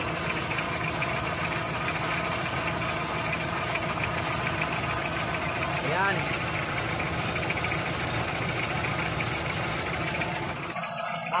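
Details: Toyota 2C diesel engine idling: uneven, lumpy beat with some knock in the clatter; rough idle, with injectors a suspected cause, not confirmed.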